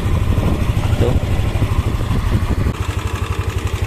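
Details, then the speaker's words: Yamaha NMAX scooter after top-end work for rough, ticking cylinder-head noise, tensioner hole closed: low, even idle with a steady thrum and no ticking, valvetrain now quiet and healthy. "Mantap banget kalau begini Jadi enggak ada suara tetap lagi ya aman"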